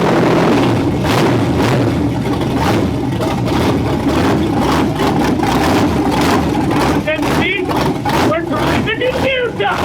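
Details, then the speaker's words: 1957 Chevy Bel Air with LS engine, first run after nine-day restoration, briefly warming up: loud open V8 rumble through straight headers, steady lope and clean throttle blips, firing on all cylinders, running normally. "I didn't want the exhaustion I want to run those straight headers sounds so good I'm so happy"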